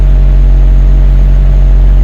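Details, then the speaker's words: BMW 740Li V8, cold idle about 1–2 minutes after start, after coolant and oil service: deep, even, steady hum with no shudder; previously shook badly when cold, now a normal cold idle. "냉간시의 공회전 상태입니다. 시동 건지 1분, 2분 됐을 것 같습니다."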